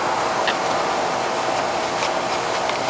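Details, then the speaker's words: AC condenser fan after a miswired capacitor was replaced; the fan had spun the wrong way, likely since new: steady, even whoosh of air with smooth motor hum, no rattles or pulsing; now turning the right way, normal. "Before the fan was going the wrong way. Probably been like that since new. See how it cools now."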